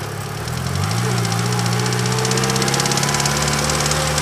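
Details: Idling car engine recorded by an engine bay microphone with a steady metallic knock about three times a second, first suspected a lifter; turned out to be a failed rod bearing and cracked crank.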